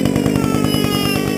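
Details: Echo SRM-225 string trimmer being broken in, restarted warm without choke: quick, even two-stroke putter with no misses or hunting, revs up nicely, running a little rich with slight smoke. Normal idle, no issue.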